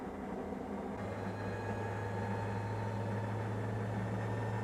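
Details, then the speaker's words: Maytag Neptune washer after circuit board relay solder repair and new door lock wax motor: smooth rising whine settling into an even high hum, no knocks or scraping; normal high-speed spin, previously missing. "here it goes you can hear the jet engine taking off I think this one's going to be faster than the last one"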